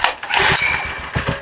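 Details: Vintage Honda EX500 generator, not run for a long time, during a service (oil light always on): short, uneven sputters and pops as it tries to catch but won't settle; hard starting.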